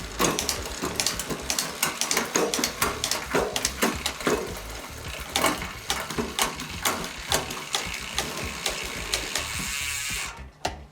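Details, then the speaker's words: Bakcou e-bike rear derailleur after quarter-to-half-turn barrel adjuster tuning to cure slapping in ninth through 11th: rapid even freewheel ticking with clean shifts toward 11th and back to first; smooth shifting. "But right there we were able to get it to shift towards the 11th. Much better."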